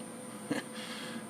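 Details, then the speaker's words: Dell Optiplex 760 booting Windows 10: thin steady high-pitched coil whine with lower hum from the bad power supply, changing under load; owner suspects bad capacitors, and the PSU was replaced. "I bet if I crack it open we're going to find some bad caps. If not, something in it's bad, because that's a lot of coil whine, and it changes under load."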